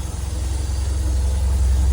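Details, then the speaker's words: 1995 Toyota Celica GT4 import, first real run after a long time stood, fuel leak at tank connector fixed, no airbox fitted, cam belt not yet done: steady low, even idle with smooth pulse, no knocks or ticks; idling normally. "Does sound nice. Considering how long it's been stood still, this is the first time I've really had it running, because the cam belt has never been done, but there's no airbox on it, mine."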